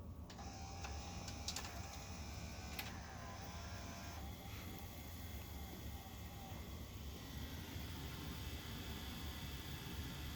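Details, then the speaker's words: 1984 Sharp VC-498C VCR, quiet mechanical whirr with faint tones rising and dipping at startup as the idler motors surge up and down, improving with use; owner suspects slippage or dried grease. "when it first starts you'll hear the idler motors surge up and down not sure what that's about but it seems to be getting better and better so it might just be a real some slippage or dried grease"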